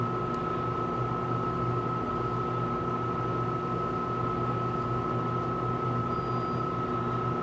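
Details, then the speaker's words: Tenney Lunaire TUJR temperature chamber, after reaching 200 degree set point, cooling back to 20 °C: both compressors on, steady low hum with constant higher tone, unchanging, running normally. "And as you can hear already, there goes the other one. Both refrigeration compressors have turned on, and now it'll bring it back down to room temperature."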